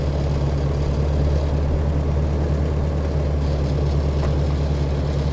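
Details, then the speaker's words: Ford Workmaster 641 tractor after tune-up (carburettor rebuilt, timing, points, condenser, plugs, cap): starts right up into a steady, even low idle with no knocks or misses, running cleanly. "Push the clutch in, put it in neutral, hit the starter. Starts right up."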